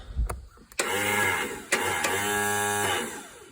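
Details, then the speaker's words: Scrapyard Yard Machines riding tractor, 14 hp engine, no fuel yet, new battery fitted: starter whirs freely at a steady high pitch for about two seconds, gear not rising to engage flywheel. "so the starter turns but the gear is not spinning so uh see what's wrong with that"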